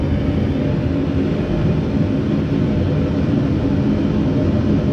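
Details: Homemade Frost T gas burner, replacing the pulsating stock burner on an eBay furnace, running at about 10 psi. Even, steady low roar with no pulsing or sputter: runs cleanly and strong, much better than the original burner.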